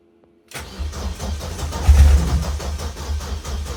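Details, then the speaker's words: First start in nearly two years: engine catches after a short crank, then runs fast and slightly uneven with surges; high idle around 2,500 rpm, throttle position set at four degrees so slightly open; owner notes it struggled to start initially. "Um, I probably need to play with that high to the pit as well because two and a half grand is slightly high. The throttle position is on four degrees, so it's slightly open."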